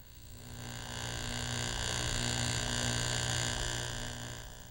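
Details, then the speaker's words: Driveline demonstration model driven by a constant-speed electric motor with exaggerated shaft angles, yokes realigned parallel so they are in phase. Steady, even hum at constant pitch with no throb; smooth, vibration-free rotation. "for vibration free operation the last element in a drive line must rotate at a constant speed now we'll put the yolks back in Phase by lining them up with the yolks parallel"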